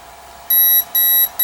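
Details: Komet foam RC plane on a 4S battery, bound to its transmitter with throttle cutoff on a switch: the speed control gives a repeating beep code, counted as four beeps (heard as three high beeps), and the throttle does not respond. ESC repeating beep code.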